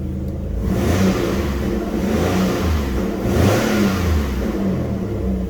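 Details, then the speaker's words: Alfa Romeo Busso engine at 88,000 miles, revved with a smooth, even rise and fall and a deep clean note, no knocks or rattles; the engine sounds pretty good. "Engine sounds pretty good."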